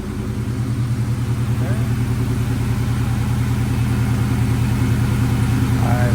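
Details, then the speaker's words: 1998 Mustang Cobra idling after installing an OEM belt tensioner to cure a belt squeak: steady, even idle with deep, very loud exhaust pulse and no squeak or chirp; normal idle, squeak fixed. "but as you could hear we ain't got no squeak at all which is great great news"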